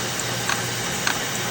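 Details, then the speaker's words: Ford Mercury Grand Marquis at idle, serpentine belt squeaking: sharp light tick about every half second; visibly bouncing belt tensioner and worn idler pulley cause the knocking, before replacing tensioner, idler pulley and belt. "So if you're hearing this noise, most likely your idler pulley and your tensioner. If you look, you can see that tensioner moving around, which is causing that knocking noise."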